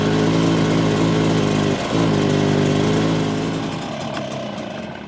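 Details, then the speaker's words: Stihl BR600 two-stroke backpack blower after fuel filter, spark plug and internal hardware replacement: steady, even drone without misses or surges, then smoothly winds down; running like new. "guys, like new again, you're tuned into Bermuda Grass Central with BYD."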